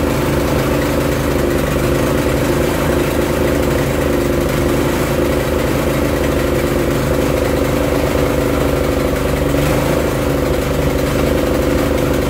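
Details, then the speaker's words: Barn-find Honda GX340 generator engine on a homemade CDI ignition, carrying a load: steady, even drone, no misses or surging; pulling cleanly under load, though hunting remains unresolved. "there we go that seemed to be working fine under load as well"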